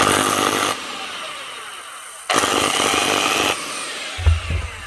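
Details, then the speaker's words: 2016 Makita TW1000 1-inch drive nut gun, low on power and sparking on one side: short bursts of rough, uneven, spluttering whir cutting in and out; a brush burnt up, its spring failed or overheated. "2016 not sounding good spluttering and sparking actually only on one"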